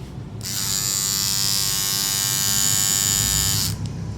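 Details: Hair trimmer (edger) switched on, running with a harsh, loud, rattly buzz from a loose blade head.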